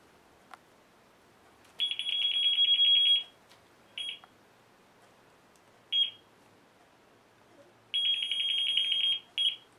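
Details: Geiger counter in a quiet room: high steady beeps in uneven bursts, some long, some short, as it alarms on the radioactive source.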